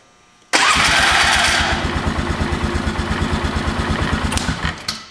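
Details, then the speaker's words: 2000 Polaris Sportsman 500 ATV, newly replaced starter: harsh whirring crank with rapid regular pulses about three per second before the engine catches; starter sounds funny, owner thinks it may need to wear in, not worried, cause unclear. "starter is uh kind of making a funny noise but like I said before it's been a long time since that starters worked"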